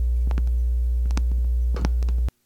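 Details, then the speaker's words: Turntable playing a record while the platter is tapped: sharp double thumps and a heavy low rumble through the speakers, as vibration transfers to the stylus and is picked up. "any vibration movement bumping of the table can transfer to the stylus which will be picked up and you can probably hear it through the speakers"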